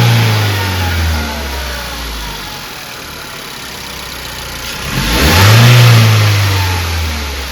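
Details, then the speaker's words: 2016 Ford Focus after replacing the spark plugs, which were bad on cylinders one, two and three: the engine idles evenly, then revs smoothly and settles back with no stumble or miss, a healthy run after the repair. "That means everything is nice right there. It's riding good cuz bank one, two, and three of the spark plugs were bad."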